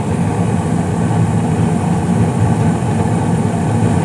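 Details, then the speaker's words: 2016 Carrier gas furnace, five years old with no issues, blower speed raised from medium-low to medium-high for heating; steady even burner roar with a smoothly humming inducer fan, no rattles or surges. Normal running. "going nice and strong juicers spinning very well"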